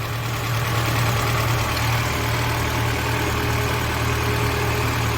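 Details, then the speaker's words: Lada Niva after engine knock repair, first trial start with hydraulic lifters still filling with oil: steady, smooth idle with low even hum, no clear ticking or chain slap; noises mostly gone, normal idle. "Ну, сейчас дадим двигателю поработать. Гидрокомпенсаторы придут чувства, наполнятся маслом. Но уже плюс-минус все звуки ушли."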